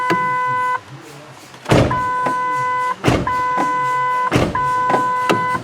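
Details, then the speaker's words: 2008 Ford F-150 with a complaint of the parking brake dinger going off all the time: with key on, engine off and driver door open, a clear steady chime about every second and a half, the normal door-ajar warning; the dash door-ajar light also works. "okay so that's the dora jar beeper but the door jar light on the dash does work i can see it functioning"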